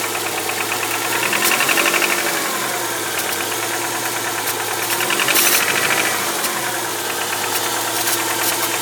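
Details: 2001 Subaru Outback 2.5, 278k miles, after a valve adjustment: revs rise and fall with a metallic rattle that swells under throttle. It is strongest in the first 10-15 minutes and fades somewhat with driving; cause unconfirmed.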